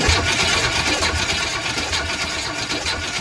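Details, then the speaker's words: 1960s-70s Chevy truck V8, sat 30+ years. The starter churns it over at a steady beat of about four a second but it never fires or catches: no spark. "now what you just saw there or the lack thereof and what we were probably all expecting there is no spark"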